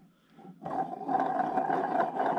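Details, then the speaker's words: Rough, gritty grinding rumble as a crankshaft bearing is spun by hand on a disassembled MBK Rocket Minarelli vertical engine during teardown for parts replacement. Worn crankshaft bearing. "et donc j'espère que vous allez entendre voilà vous entendez le bruit de roulement"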